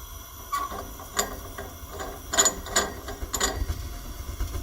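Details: EFM gas-converted furnace: irregular ratcheting clacks and gear-like clicks over a low furnace rumble, an abnormal mechanical noise.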